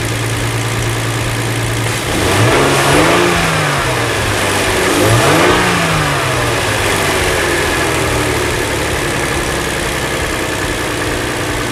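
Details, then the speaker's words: 2007 Hyundai Entourage 3.8 V6 with a no-start and P0102 MAF/IAT fault, after fitting a new MAF sensor. Smooth steady idle, then two clean throttle blips that rise and fall evenly without stumbling. The engine now runs and revs normally. "I'm thinking minutes right now. It's fixed. So let's see if it's accelerate."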